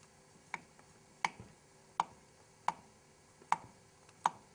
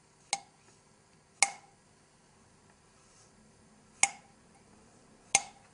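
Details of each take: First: 1974 Honda CB750 head rebuild: light taps on a valve that is not seating properly give a dull click with no ring, unlike the high-pitched metallic ting of a lapped valve on a proper seat; poor seating loses compression. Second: 1974 Honda CB750 rebuild, engine valve tapped on its seat after lapping: four sharp taps, each a bright, high-pitched metallic ring that dies fast. This is a properly seated valve; an unlapped valve sounds dull, and a poor seat loses compression.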